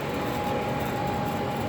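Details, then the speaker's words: Home AC system with a TXV and a newly installed condenser fan motor, switched on at 92°F indoors. A thin high squeal from the indoor blower motor rides over the airflow as it starts. Likely a failing blower motor, probably its bearings. "i can hear the i can hear the blow motor screaming a little bit"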